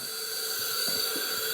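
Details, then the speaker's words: Honda CRF250R leak-down test near TDC on compression stroke; steady airy hiss with a thin whistle, pressure heard escaping through the opened throttle body plus a slight exhaust leak, indicating a valve leak; head gasket and piston seem fine. "But if I open the throttle body, you can hear pressure escaping, but you can also ever so slightly hear, you can also feel that there's a little exhaust leak. We definitely have uh a valve leak here."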